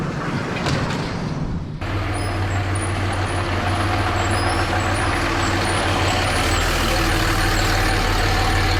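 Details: Recorded under a Dodge Ram 3500 from a camera magneted to the frame: the NV4500 manual transmission gives a steady low drone with an uneven knock about three per second. It is loud in first, louder in second and third, absent in fourth, and worsening; owner suspects a damaged countershaft.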